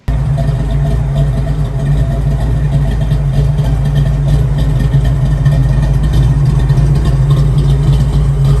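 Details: Modified V8 car, larger-than-stock cam after dyno: deep, uneven loping idle with a choppy rise and fall about every second or so; that's a big aggressive cam, not stock.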